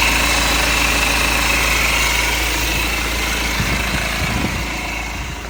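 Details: BMW E87 M Sport, N47 2.0 diesel 177 bhp, at idle: even clatter about four beats a second with a light metallic rattle on top; owner suspects timing chain noise, unconfirmed.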